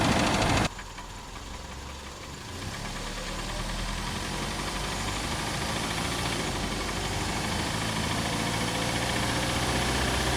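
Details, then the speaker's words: 1991 Toyota Camry idling, mic in engine compartment under closed hood: steady light knock about three a second; owner unsure whether bottom-end rod knock, piston slap or top-end valve noise. "This is my 1991 Toyota Camry which has developed an engine noise. The question today is is that engine noise on the bottom end like a rod knock or is a noise on the top end more in the valve area?"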